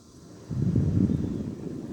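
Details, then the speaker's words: Window fan with one cracked blade, badly out of balance, switched on; heavy low throbbing rumble with shaky rattling that makes the window shake. Vibration from unbalanced cracked blade. "not sure if you can tell what its shaking or extremely bad like it's making the window shake"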